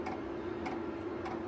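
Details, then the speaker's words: Sherp ATV's Webasto diesel heater running: crisp even clicks about every 0.6 seconds over a steady low hum, the dosing pump drawing fuel from the diesel tank; normal operation. "And so you can probably hear that click click sound. That click click sound is the Wasco heater. And what it's doing is it's drawing fuel from the tank."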